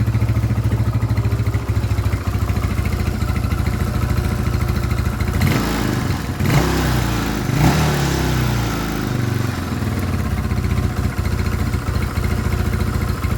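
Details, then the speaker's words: Scorpio motorcycle single, first start after timing chain replacement with a genuine part: an even, steady thump at idle with a couple of throttle blips, smooth and free of rattle. Running fine; the valves are undamaged. "Syukurlah, bagian katupnya aman, kawan. Tidak terjadi tabrakan karena mesin bisa menyala . Itu artinya katup-katup tersebut aman."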